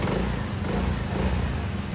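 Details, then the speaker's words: Refreshed Mio 125 scooter engine with steel-bore cylinder being tuned, still cold at 54°C with AFR not yet stable: smooth, even low idle, no top-end tapping or rattle, quiet. Normal idle. "Malamig pa po yung makina. Yung AFR, gumagalaw-galaw pa. Hindi pa stable. Tahimik naman po yung makina. Maayos naman kahit steel bore"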